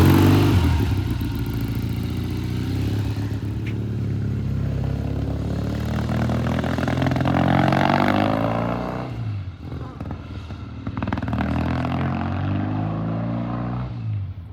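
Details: 1972 Triumph TR6 vintage British motorcycle on a test ride after repair, still cold: an uneven, lumpy exhaust beat as it pulls away and revs; it runs rough, and the owner suspects it may just be slow to warm up.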